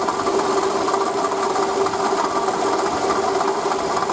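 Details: Toyota Camry 40 2008, 2AZ-FE 2.4 L, 176,000 km, original water pump, idle: fast light ticking clatter about a beat and a half per second over steady hum; failing water pump knock, confirmed after replacing pump, belt and coolant.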